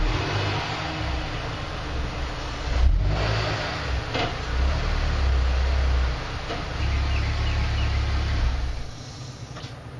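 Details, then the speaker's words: Neglected car first started on day one of its restoration with a battery charger attached: low uneven loping idle stumbling every few seconds with hiccups; cause not yet known. "yeah i'm definitely getting some hiccups loping idle loping low idol okay so that's where we're at"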